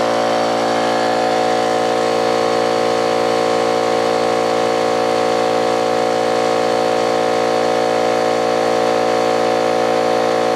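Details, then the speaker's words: Old Brute air compressor, unloader valve leaking (check valve replaced, no difference), restarting after tank emptied via safety valve; loud even clanking and clattering with steady hum as the worn pump runs flat out. "Now if you listen, you'll hear some clanking and clattering and all kinds of good shit."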